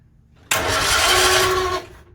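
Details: 1964 Bedford CA panel van, not run for about 10 years, just after its points were cleaned: about a second of cranking with no firing or catch, then it stops. There is no spark because the ignition points gap is too wide.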